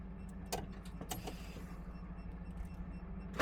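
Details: DAF XF diesel truck cranking with starter at steady drone but never catching; rail pressure actual vs required being monitored, no start from low rail pressure traced to a faulty injector.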